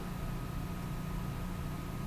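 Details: Dell M5030 laptop after reflowing the motherboard in an oven at 385 degrees for 8 minutes: boots into Windows without the earlier seven beeps; quiet steady whir with a faint constant high tone and no clicks or rattles, fan spinning normally.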